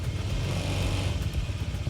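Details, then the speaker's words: Honda ADV 160 scooter, just over 1,000 km, that judders on pull-away after a Bromo trip (dust in the CVT); after a CVT teardown and service, the engine note is even and steady with no clunks or grinding, and vibration is much smoother, near new. "Jadi secara getaran benar dia sekarang lebih halus dibandingin kemarin kita pulang dari eh Bromo."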